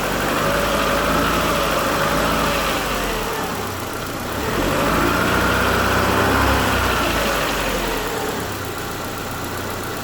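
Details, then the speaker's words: 2007 Chevrolet Lacetti 1.8 petrol, cold, after intake manifold flap rattle repair, idling with flap valve connector on and off: smooth, even idle with mild rev swing, no tapping or knock; works fine both ways. "что так что так то есть отлично работает все"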